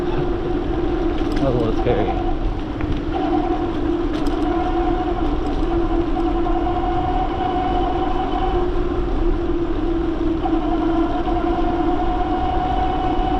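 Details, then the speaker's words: Bafang G900 (H640) 750W hub motor on e-bike with Flipsky 75100 Pro V2 controller, 60V 16s3p Samsung 40T3 battery at 22A, cruising: steady mid-pitched whine over wind and road hiss; motor runs noisy on 60 volts. "This motor is a little bit of a noisy boy on 60 volts."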